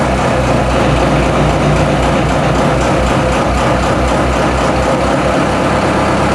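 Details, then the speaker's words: TDME-490 marine diesel newly installed in place of a 4Ch engine on a motorboat, no soundproofing fitted, revs raised from idle to about 1000 rpm: steady, even drone with a deep low rumble and no knocks or misses. "Сейчас мы добавим немножко оборотов. Доведем обороты до 1000."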